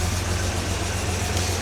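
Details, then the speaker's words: Jaguar XJ6 after a head gasket replacement and camshaft retiming, idling cold on choke. A smooth, even low rumble with no ticking or misses; slight exhaust smoke is expected from the cold and likely leftover coolant. Finding: normal cold idle. "Bit smoky out the back, but that is to be expected from it being cold."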